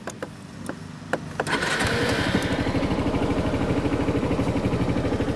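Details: Used Honda Reflex scooter, about 13,400 miles, four-stroke engine: a few clicks, then catches and settles into quiet, even putter with steady beat; healthy normal idle.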